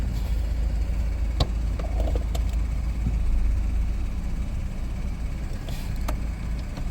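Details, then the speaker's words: Auction-bought Ford Focus just brought back to running after engine computer harness repair and programming: steady low even rumble at idle while warming up to temperature, no miss, knock or rattle; normal idle. "so uh the proof is in the pudding we got the car running"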